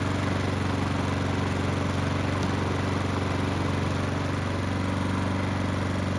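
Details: Honda walk-behind mower, hot restart after the carburetor work to cure surging: even, steady single-cylinder chug at constant pitch, no hunting or surging; engine lightly smoking.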